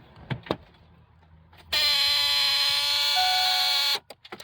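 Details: 2003 Ford Expedition: harsh steady buzz from the fuse box when the ignition key is turned, engine never cranks; suspected failed PCM relay 203, replaced or swapped with fog lamp relay 202.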